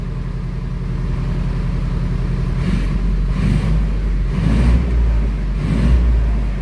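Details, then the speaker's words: 90-year-old vintage Austin 7, running after five years in storage, choke released; even little putter at idle with clean swells when revved, no misses or knocks, runs sweetly. "I mean, it runs like a peach. Listen to that."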